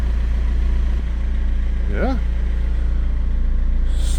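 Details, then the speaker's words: BMW E46 diesel, police-auction car that sat five years, idling after its seized alternator was replaced: a steady, even diesel clatter with no squeal or grinding from the engine front; it starts fine and idles normally. "So far, this is looking good. The alternator was changed. The car started all fine."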